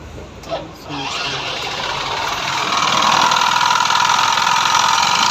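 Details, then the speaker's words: Yamaha Fascino BS3 scooter engine before full engine rebuild: catches and settles into a loose, fast knock about four per second over a harsh rattle; crankshaft bearing had failed and connecting rod was loose, both replaced. "तो भाई इसका कम था फूल engine का तो crack का जो bearing था वो चला गया था और क्रैक रोड जो है वो भी लेट उसमें तो वो भी हमने चेंज किया"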